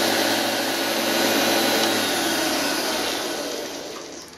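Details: Washing-machine universal motor driving a lathe, running unloaded with no cutting, recorded about a metre away before bearing replacement: loud harsh roar with gritty rushing edge from rough motor bearings.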